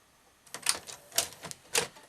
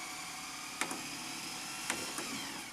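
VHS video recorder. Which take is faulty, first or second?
first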